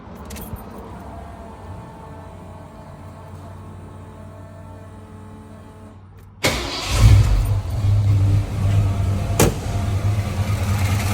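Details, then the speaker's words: 1982 Ford Bronco 351W V8 idling normally after exhaust leak fix (missing header/manifold bolts reinstalled with lock washers); low steady idle, then louder, deeper even rumble, no longer rough. "But it sounds much better."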